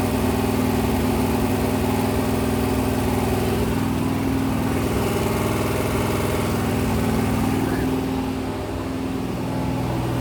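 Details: Freshly rebuilt 426 Hemi crate V8 (new heads, intake, pistons) on a run stand during flat-tappet cam break-in at 2400–2500 rpm, 32 degrees timing, 150°: loud, steady fast idle, even firing, no ticking or knocking; smooth and healthy.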